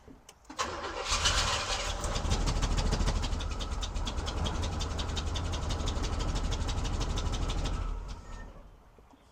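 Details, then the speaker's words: 1971 Oldsmobile Cutlass Supreme SX 455, sat for years, on a jump pack that is probably dying: long, laboured, even cranking that never catches. Slow cranking, suspected from the weakening jump pack. "doesn't seem as happy as it did 20 minutes ago the uh jump Pack's probably dying ain't cranking it over as much as it probably wants to"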